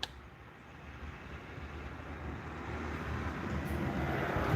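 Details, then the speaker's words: Garage door opener just swapped in and programmed, belt drive: low motor hum and belt drone building steadily as the door travels, noticeably whiny but smooth, no grinding or clunks; soft stop not very soft; normal operation. "so looks like it works um it is certainly whiny"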